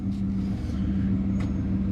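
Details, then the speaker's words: 2003 Dodge Ram 1500 Hemi V8 at 420,069 miles, with a small evap leak code P0456: starts instantly and settles into a steady, even low idle drone with no misses, knocks or ticks; normal idle. "Man, thing's still on the button, dude. Fires right up."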